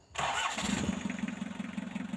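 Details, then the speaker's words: Mitsubishi L300 diesel with long hard starting, after reconnecting glow plug heater wiring and preheating: brief crank, catches at once and settles into regular diesel clatter; normal start. "ini kita coba setelah kita sambungkan ini pemanas kita hidupkan dulu sekitar 4 menit nah ternyata langsung bisa hidup"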